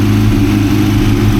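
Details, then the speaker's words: Honda CRX after a new flywheel was installed, fires right up: loud, steady idle with an even low rumble, no knocking, clunks, rattles or ticks; normal idle. "There is no weird clunking, rattling, no weird noises, bro, whatsoever. So, we just saved a whole bunch of money, bro. The car fires right up right away"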